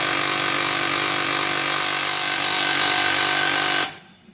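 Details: HP LaserJet P1102W that makes noise and won't print: loud, harsh grinding rattle with a steady mechanical whine pulsing about four times a second, then stopping abruptly, from a dislodged pickup roller; solenoid also repaired.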